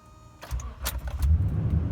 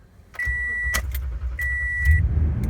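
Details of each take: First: 2014 Toyota Tundra 5.7L, about 85,000 miles, which has a hard start after sitting or when cold. Started the morning after the battery was charged overnight: a key jingle, then it catches within half a second and settles into an even low rumble. Normal quick start. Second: 2014 Toyota Tundra 5.7L V8, about 85,000 miles: chime, then the starter cranks roughly twice as long as normal before it catches into a low rumble; hard start, cause unknown.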